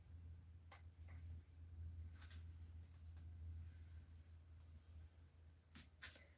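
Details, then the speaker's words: Jar lids in an electric pressure canner giving a few sharp, isolated pops over a quiet hum as they seal, here Ball lids, which is normal. "There's another one just popped. That's three. Now a lot of times you won't hear the popping."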